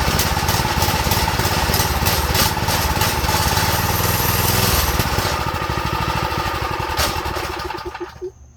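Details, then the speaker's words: Go-kart small single on fresh fuel after draining the old: chugs fast but unevenly, then sags and dies; owner suspects idle too low and a carb problem, dirty jets, emulsion tube and main jet. "maybe it needs the maybe the idle needs to go up let me see we probably need to clean the Jets to be honest or like the emotion tube and the main jet that's probably all we need to clean but yeah that shows us that it's a carb problem so that's good"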